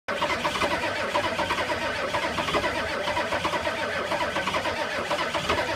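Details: 1985 Ford F-250 6.9 IDI naturally aspirated diesel at -34 degrees: steady, rhythmic starter churn for six seconds with no firing or pickup; cranks but won't start in extreme cold.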